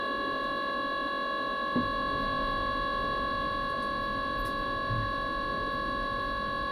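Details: Mikuni diesel heater: steady fan whine with a few scattered mechanical ticks but no firing roar; the heater cranks and pumps but never lights; failing to start.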